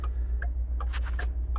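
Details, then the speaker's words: 2013 Ford F-150 XLT, third replacement BCM, water leaking in through windshield: steady relay clicks about every 0.4 seconds with nothing touched; hazards stuck on, with low brake fluid and door ajar messages, from a failed body control module. "brake warning light is on a little brake fluid message will come up hazards won't shut off"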